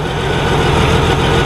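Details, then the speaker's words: Honda Goldwing idling after a gas leak from a stuck carburetor float, apparently fixed by tapping the carburetor with a screwdriver with the air cleaner out; deep, steady, even low idle with no surging, ticking or stumbling, no longer leaking: normal idle. "i tapped it right here and right here with a screwdriver and now it's running and not leaking i think it's fixed"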